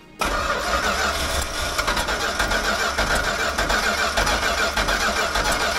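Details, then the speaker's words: 1970 Plymouth 'Cuda 383 four-speed, not driven daily, towed in: steady starter churn about two beats a second for six seconds, engine never catches; crank no start, spark confirmed, flooding or fuel suspected. "so from what I see arry my customer told me Nick for what reason doesn't start"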